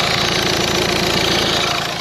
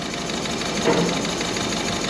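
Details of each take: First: Peugeot 2008 diesel idling steadily with an even clatter and no misfire or stumble after replacing a failed injector that caused a misfire; no fault codes, no leaks. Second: Peugeot 2008 diesel that broke down on the motorway: busy clatter at hot idle with an uneven, lumpy beat from dead cylinder three injector; unplugging it makes no difference, unlike the other injectors.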